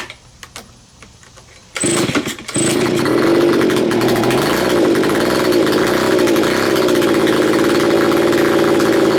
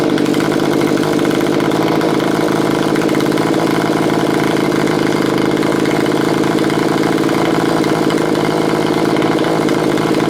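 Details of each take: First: Neglected curb-found Stihl BG55 two-stroke leaf blower, first start after cleaning, choked: catches after a few pulls then holds a slightly wavering buzzy drone; owner says the carburettor needs adjustment. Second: Curb-find Stihl BG55 leaf blower after lengthy carburetor mixture adjustment, screws set three turns out on low and two out on high: steady, even two-stroke buzz holding one speed with no surging, stumbling or misfires. It idles normally, running like a top.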